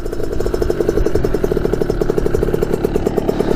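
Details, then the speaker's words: 2000 Kawasaki KX65 two-stroke after a full engine rebuild with new piston, crank, bearings and seals: a crisp, even burble at a steady fast idle with no rattle or misfire; it runs perfectly through the gears and hits the power band. "the thing runs perfectly it's just through all the gears perfectly runs perfectly hits the power band"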